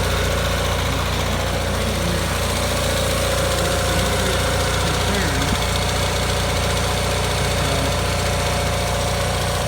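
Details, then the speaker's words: Gravely 817 tractor with Onan CCKA engine, PTO held in, choke on: steady running with a rough uneven rattle from the rear; the intake/exhaust manifold needed tightening but was not the cause, owner suspects a bad clutch bearing. "The weird noise was actually something to do with the clutch. So I suspect that I got a bad bearing in the clutch."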